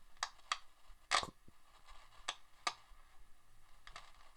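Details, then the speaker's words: 1979 Sanyo M7700LG mini boombox first powered on bench supply at 7.5 V, drawing 70 mA; hiss with irregular sharp crackles and pops from one speaker, also in mono; crackly volume pot suspected, cause unconfirmed. "crackly speaker let switch it to Mono yeah there's something there very crackly volume pot I'm getting a little bit of crackling the speaker on this side"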